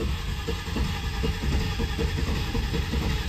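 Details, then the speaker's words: Land Rover Discovery XD after fuel pump and fuel line replacement, first start attempt after hammering the sticking starter; starter cranks steadily at a slow, even churn but the engine never fires, crank no start. "might be hard to start the first time because we need the valves to clear themselves up doesn't seem to work"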